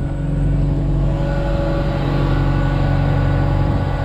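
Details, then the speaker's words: Genie S-60 boom lift engine after crank-no-start repair, having been sprayed with starting fluid: smooth steady drone with faint continuous fuel pump buzz, oil pressure up; running normally. "buzzing along [Applause] fuel pumps buzzing along got oil pressure fires right up"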